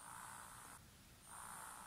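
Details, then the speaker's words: Tascam Portastudio 12V capstan motor bench-tested on a 9V battery via alligator clips: thin steady high buzz that briefly dips then returns; motor spins freely, so servo and motor control chip are fine. "hear the buzz see the little fan movement so we know that the servo the motor control chip and everything in there is fine"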